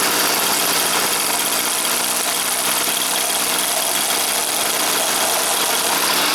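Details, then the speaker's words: Stihl FS 400 brush cutter that would not start, spark present but dry plug, started indoors with choke closed: buzzy two-stroke running flat and rough, won't rev up; filter checked fine, carburetor screen to be inspected. "і так так завелась але не розвиває оберти"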